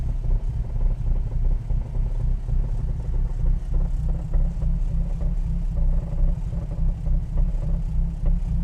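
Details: Ford Falcon XR4/ST150 at idle only, a low, lumpy idle with a dull knock about three per second, loosely in step with the engine, apparently from the front left; recent onset, cause unknown.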